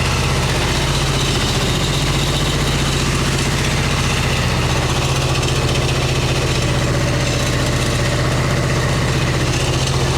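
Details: 1989 Harley Ultra Classic Tour Glide Evo V-twin, butterfly carb, on factory plugs, warming up: a steady, slightly uneven low thumping idle on choke. It idles only on choke; fuel or carb trouble is suspected.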